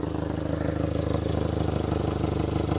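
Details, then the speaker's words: Mitsubishi Galant, previously overheating, now at normal temperature: low idle with a puffing, slightly uneven beat about three pulses a second from an exhaust leak, with slight rough running. "now you can tell the car is rough running a little uh rough at least I can sitting in it I don't know if you guys can hear it obviously it's got the uh exhaust leak and whatnot"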